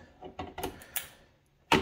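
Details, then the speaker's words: New EcoFlow Delta Mini power station, dead on arrival, when plugged into 110 V AC: a few sharp irregular clicks, about four close together then a louder snap, no hum after, like a relay cycling; won't power on or charge, also fails on 12 V. "so when you plug it in it'll make a series of clicks i don't know if it's going to be audible through the video here so it's just going to make a couple clicks but that's it it won't charge"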